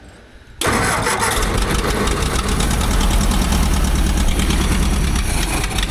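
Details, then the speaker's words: Old abandoned Asplundh JEX Chuck n Duck wood chipper, sold as non-running, first start, choke off, hand clutch disengaged, oil pressure showing: catches at once, steady even low rumble, no knocks or misses; healthy idle, not full of water. "Did not expect that. I mean, this thing purr like a kitten."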